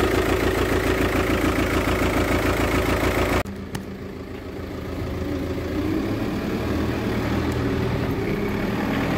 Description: Cette VW Tourang 2.0tdi a un injecteur défaillant.